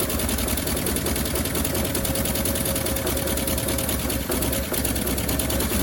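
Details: 1957 Bel Air that sat 30 years, gravity-fed from a gas can, idle turned up slightly, even idle with rapid sharp ticking puffs from a massive exhaust leak; water pump or generator locked, belt loosened.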